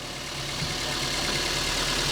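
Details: Car idling with all electrical loads on (lights, AC, high beams), battery voltage staying normal and alternator charging well: steady, even idle with smooth low rumble, no knocks or misses; normal idle.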